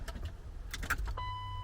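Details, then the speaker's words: Turbo BMW E36 running lean, with the fuel pump hot-wired through a relay. Sharp relay clicks with a dash chime but no fuel pump hum follow; the relay was faulty, and touching it restored pump operation. "I don't see anything wrong and it's not working I hear the fuel pump relay clicking but there is"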